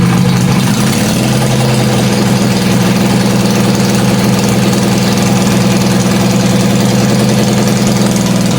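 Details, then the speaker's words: Wheel Horse C-175 mower ("Crusty Rusty") brought back to life: constant, even engine drone with firm low hum, no misfires, knocks or surging; running healthy. "Oh, I can't believe it just fired up like that. That was insane. I mean, just bam. That is awesome. Sounds good, actually."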